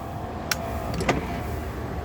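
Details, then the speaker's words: 2012 Isuzu Panther Grand Touring power windows run one after another: steady smooth motor hum with a couple of short clicks, no strain, grinding or slowing; all four windows work normally. Normal power window operation. "Terus untuk yang sini depan kanan juga nyala normal ya. Jadi untuk power window-nya semuanya empat-empatnya nyala normal."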